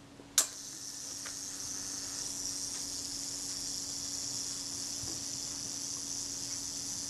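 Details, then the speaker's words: Kodak Retina IIIc shutter during service, self-timer check at one-second setting: sharp release click, then thin high buzz running evenly about seven seconds; self-timer escapement winds down smoothly, normal. "just check the self timer make sure that runs let's set to a second set yourself timer"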